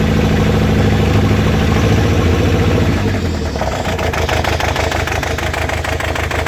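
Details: Toyota 22RE-T engine at idle lopes unevenly, with a stumble about three times a second breaking the beat; one cylinder is missing, cause still unknown.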